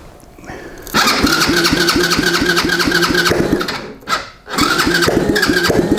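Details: Track sled engine test start on jump box with a little ether after gas tank mounting and wiring fix: cranks briefly, catches, runs at a steady fast beat, dies and refires cleanly; engine starts and runs as it should.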